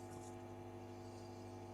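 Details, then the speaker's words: Valve amp with noisy, scratchy pots: turning up the reverb control brings a steady low mains hum, borderline buzz, with faint scattered crackle; tapping the tank is used to check the reverb return side. "Now that is borderline buzz rather than hum."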